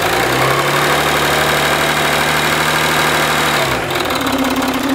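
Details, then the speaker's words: Citroën C6 diesel after fixing exhaust smoke leak near front turbo: even, steady idle with constant hum, no ticking or puffing, then ignition switched off; sounds healthy, owner not fully sure fixed. "ok c'est bon il n'ya que couper le contact pour écouter lui ça a l'air d'être bon"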